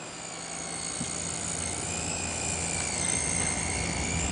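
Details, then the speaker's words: Zalman ZM-1000HP power supply under ATI Tool graphics load with Vsync off, no other fans running: steady high-pitched multi-tone squeal; owner suspects a noisy capacitor or inductor. "as I'm sure you can hear right now there is a loud annoying noise that goes along with this picture here coming directly from the power"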